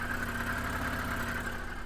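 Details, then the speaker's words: BMW E46 idling in neutral on jack stands just after a new exhaust was installed (previously sounded like a tractor): low, steady purr, no ticking or blowing, much quieter, exhaust gases now exiting the back; normal idle. "it's a lot quieter A lot quieter and there's actually exhaust gases coming out the back now where it should be"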